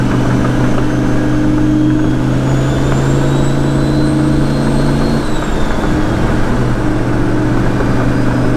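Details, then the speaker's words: Turbo vehicle running hot (212) and smoking, driving at about 3000 rpm: steady drone and turbo whistle, then tone collapses for about five seconds and recovers; power cutting out intermittently, owner suspects a ground or chassis harness. "all power just cut out for a second oh power cut out again i don't know what's going on"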